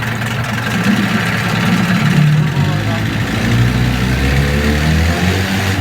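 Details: Low-hour, freshwater, fully serviced Johnson 9.9hp outboard idling in gear: steady, even low rumble with no misses, knocks or hunting. Normal idle in gear.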